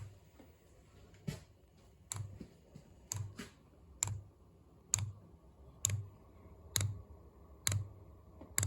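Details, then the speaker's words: Newly installed Amazon diesel heater run from a jumper pack because the battery was too weak: quiet, regular ticks about once a second as the fuel pump primes the line and pushes out air. Normal fuel pump ticking while priming. "fuel through. clicking away. Had to hook up the jumper pack."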